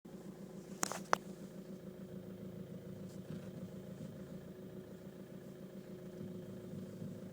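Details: VW Caddy at idle, standing still: two sharp knocks a fraction of a second apart when the steering wheel is turned in place; steering knock when turning stationary.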